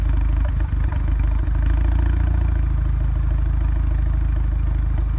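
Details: Audi A3 2.0 TFSI stage 2: uneven, lumpy idle with stumbles and shaky pulses, misfire check-engine light on all four cylinders; new PCV valve didn't fix it, owner next trying the original airbox.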